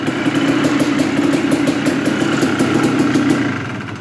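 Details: 1996 Yamaha Blaster two-stroke at startup, lacking power: a buzzy idle with a loose, uneven tapping of about four beats a second from the bottom end; the owner suspects piston slap or a ruined piston.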